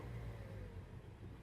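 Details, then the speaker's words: 2013 or 2014 Mazda CX-5, codes for random misfire, lean bank 1 and MAF range/performance: low, uneven rumble that sags and surges, worse in gear, then stalls; rough running from a faulty MAF sensor. "oh yeah I can hear it missing try gear oh wait a second sounds awful on it"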